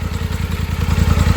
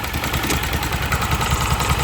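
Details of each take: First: 2024 Polaris Sportsman 1000 twin, spark plug back above water after submerged misfire test: even low thumps at 1250–1300 rpm idle, both cylinders firing cleanly; misfire traced to plug wire. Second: 2024 Polaris Sportsman 1000 V-twin driven deeper into water: idle drops from 1300 to 1200 rpm and stumbles and pops unevenly, missing badly; water is reaching the spark plug and ignition lead and killing a cylinder.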